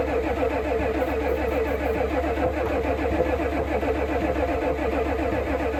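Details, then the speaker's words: 1988 Ford F350 7.3 IDI diesel, sitting since the 1990s, cranked on starting fluid: steady starter cranking about four beats a second that never fires. Fuel is in the filter but none reaches the opened injector line fitting, so no fuel at the injectors. "So I was able to get this fitting off, and I still have no fuel at it."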